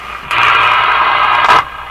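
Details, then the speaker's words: General Electric KL-70 AM/SW radio with non-working broadcast band, on full power: loud hissing, crackly static burst for about a second; suspected loose ground connection, or possibly outside interference. "I spent an hour yesterday running around my house trying to figure out where this sound comes I did not this is not this radio this is an interference sound"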